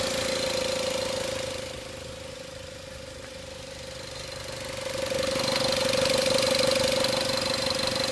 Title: Engine knock